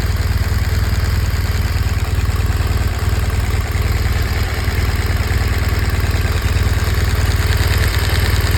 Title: BMW R1200 GS . 2014 engine ticking noise . What generates this sound?